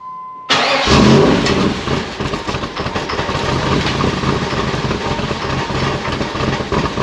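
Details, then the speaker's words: 1994 Pontiac Trans Am GT first start after sitting in a barn since 2005, ignition control module checked; catches at once and settles to a steady even idle, no knocking; oil pressure gauge fluttered, thick oil; normal idle. "well i've got to say that is a win in my book it is a runner it sounds pretty good it sounds pretty healthy no knocking or anything"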